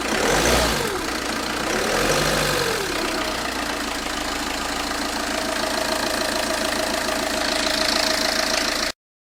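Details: Citroën Xsara 2.0 HDi 90 hp diesel at idle: rapid knock, about four a second, from the timing-belt side at the front, varying with engine speed; the crankshaft damper pulley had failed. Crankshaft damper pulley knock.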